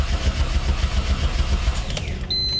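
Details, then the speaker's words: Freshly rebuilt Mitsubishi 6G72 twin-turbo with its turbo just installed, first start after 5–6 years of not running properly. It cranks steadily at about seven pulses a second without catching, starved of fuel because the tank is nearly empty; it runs afterwards. "Yeah. I have no gas. I have like no gas in this thing."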